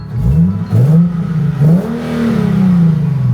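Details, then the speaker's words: Nissan 370Z, VQ V6, automatic with aftermarket exhaust: crisp throttle blips rising and falling cleanly through a deep, throaty exhaust, revs climbing smoothly without misses; healthy engine. "You can't ever go wrong with a VQ. I know. I know people talk so much crap about a VQ, but dude, this thing sounds good."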